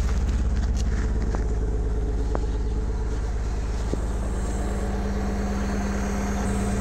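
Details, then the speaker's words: NB2 Miata with VVT, manual swap, just fitted with a RusEFI standalone ECU, first start after three tries: idle settling near 1000 rpm, slightly uneven with brief hesitations; idle still needs adjusting. "okay hesitating a little bit so i gotta adjust the idle to make sure it's good but um it's coming down a little bit about yeah about a thousand rpm"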